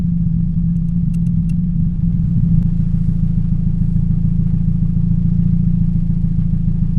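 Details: 2007 Toyota Yaris 1.5L 1NZ-FE, in cold rain: low idle with a lumpy uneven pulse and a skipped beat every few seconds, cylinder 3 misfiring from a bad ignition coil; plugs and coil packs being replaced.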